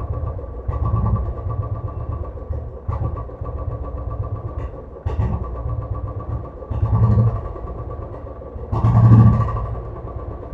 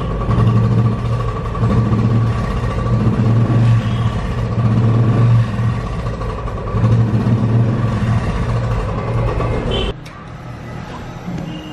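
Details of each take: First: Royal Enfield Classic 500cc single-cylinder: idle stumbles and surges unevenly every couple of seconds instead of a steady beat; misfire at idle, traced to a sensor position adjustment. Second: Royal Enfield Classic 500cc single, after a small adjustment trick for its starting and missing problem: deep, even thumping about three and a half beats a second, idling smoothly without missing.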